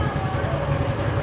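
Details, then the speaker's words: Yamaha Mio M3 125 after a piston replacement (it had previously run out of oil): a short throttle blip with an even, steady hum and none of the earlier hard tapping; the engine now runs smooth and normal. "tarik gas berasa halus ya mas bro kalau kita bandingkan sama kemarin ntar masih berisik sama suara motornya tidak ada suara ketukan yang keras seperti kemarin ya di sini sudah halus dan Alhamdulillah sudah normal lagi"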